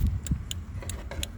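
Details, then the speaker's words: 2004 Buick Regal with LED turn-signal bulbs, after a cheap LED flasher relay replaced the OEM one to cure hyper-flashing: crisp, even relay clicks at a normal flash rate over the engine idle. It blinks about one extra second after switching off. "you can hear it clicking normal now and if you can see the dash all right there maybe uh I will say it kind of It kind of blinks for one more second after you turn it off"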